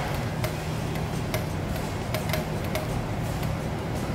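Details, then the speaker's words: Toyota SW4 (2016 on) power tailgate strut, motor-driven spindle actuator on the bench: sharp irregular ticks about twice a second over faint motor hum as it tries to move but is jammed; both struts need replacing. Seized tailgate strut actuator. "tá tentando se movimentar mas não consegue também tá travado por isso que você tem que trocar os dois guerreiros"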